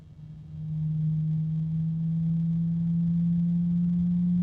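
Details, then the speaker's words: ID-Cooling DashFlow 360 XT Lite AIO radiator fan at maximum speed: pure steady hum holding one pitch over the airflow, a harmonic resonance. "There are some harmonic resonances, but they're very, very quiet. That's the first one that I was actually certain about."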